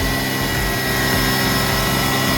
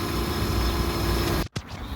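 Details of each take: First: 2006 Hyundai Tucson just jump-started with a booster after alternator replacement, battery fully dead, runs steady and fast with an even drone and no hunting; idle very high, cause unknown. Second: 2006 Hyundai Tucson after alternator replacement, jump-started from a dead battery: an even, steady idle hum that holds, with a short dip near the end; the engine keeps running on its own.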